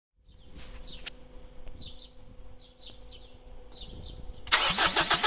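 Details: First start after repair without turbocharger, exhaust manifold, most sensors or cooling system: engine barks loudly through open ports in a quick, evenly spaced beat; exhaust felt equal at each cylinder, all firing evenly, repair successful.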